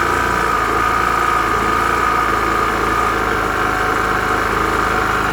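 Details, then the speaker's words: Piaggio Vespa 50 LX two-stroke scooter after a spark plug change: starts straight away and runs a steady, even idle with a crisp buzz and no misses; the mixture may need slight adjustment. "Все, работает, свеча. Да, надо чуть-чуть поднастроить, наверное, его, может, по смеси, но в целом холостой хороший."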